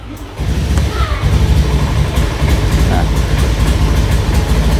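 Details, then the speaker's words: Honda automatic scooter (Vario) with a weak fuel pump, before repair: low, uneven idle that lumps and wavers; it barely starts, only idles and dies when throttle is opened; fuel starvation, easily mistaken for a TP sensor fault. "Hanya bisa hidup langsam aja teman-teman, tapi nggak bisa digas ya."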